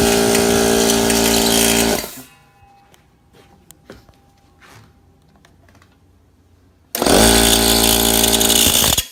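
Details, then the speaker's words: Air compressor that had made a noise and tripped the circuit breaker, after a shaft was punched back about 1/8 to 3/16 inch: starts, runs with a steady strong hum, pauses, restarts smoothly; normal running after the fix. "Like this, and once I turn it on, boom, it run okay. So bingo."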